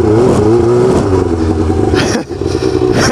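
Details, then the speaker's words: Snowmobile running with wavering engine tone and irregular harsh chunking and grinding from the drive; clutch skipping on the main pulley suspected, drive shaft later found destroyed. "sound good does it something's grinding something's grinding"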